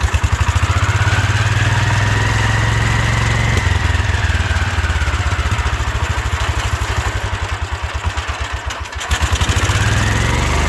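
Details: 1972 Wheel Horse Raider 12 lawn tractor, stored 15 years in a shed: single-cylinder races far too high and surges without settling; owner thinks the governor isn't working like it should, revving way too much.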